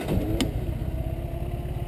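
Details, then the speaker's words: 1952 MG TD, about 51,700 on odometer, engine rebuilt seven or eight years ago: brief starter turn, engine catches at once and settles into a steady, even low idle without misses; starts easily. "starts right up this car never has any trouble starting runs very good the engine was rebuilt on this car about uh 8 years ago seven or eight years ago"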